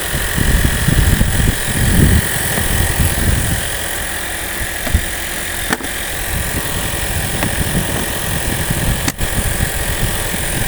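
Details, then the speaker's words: 2021 Toyota RAV4 Hybrid, 2.5 petrol plus electric, after jump-start from flat battery and 5 minutes charging: steady low even petrol engine drone, no knocks or misses; running normally and charging. "так друзі все вдалось машинка завелась постояла Ось так постояла на зарядці 5 хвилин буквально і все бензиновий двигун запустився"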